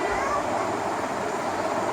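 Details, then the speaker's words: Ceiling fan after a capacitor replacement, which fixed a slow-speed fault where it previously made almost no sound. Now there is a steady, brisk rush of air with no hum, tick or wobble; the fan runs normally at full speed. "अब इसकी speed देखिएगा, speed कितनी ज़बरदस्त हो गई है। इसकी आवाज़ से भी आपको पता लग रहा होगा,"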